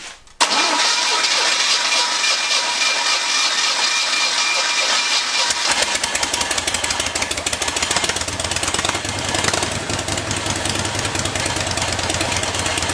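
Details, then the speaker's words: Harley-Davidson engine freshly rebuilt, pushrods and timing just adjusted, first start with choke on: catches right away on the button and settles into a steady, even lumpy beat with no knocks; starts and runs well. "Okay, that sounds really good."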